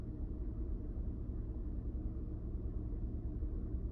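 Low, uneven idle rumble with a loping beat about twice a second instead of a smooth hum; the engine is idling rough. Cause suspected, not confirmed.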